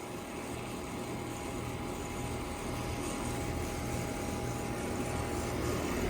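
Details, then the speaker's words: 2007 Heil Quiet Comfort 5-ton AC condenser at a conservatory, suction line cold and sweaty, liquid line cold: steady low hum with a thin whine; compressor sounds bad, owner suspects it may need replacing. "somehow we may have to put a new compressor in this doesn't sound"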